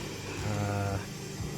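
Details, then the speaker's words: Honda Civic front wheel bearing, hub turned by hand on the car after a road-noise complaint; rough low growling drone with in-and-out play in the hub, badly worn bearing. "but yeah there's some movement there but you can definitely hear that it's loud just by doing that"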